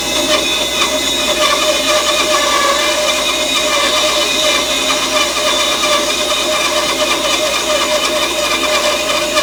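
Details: Grizzly bandsaw resawing glued-up boards: loud, even rasping hiss of the blade cutting at a constant rate, no thumping or squeal; a clean, normal resaw.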